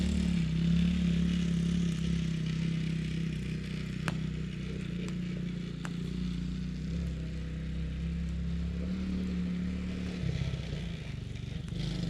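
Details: 2017 Tao Tao ATA125D pit wheeler quad, reassembled after repairs: small single putters evenly at low revs with a brief rev near the end, no bogging or misses, smooth throttle response; normal running.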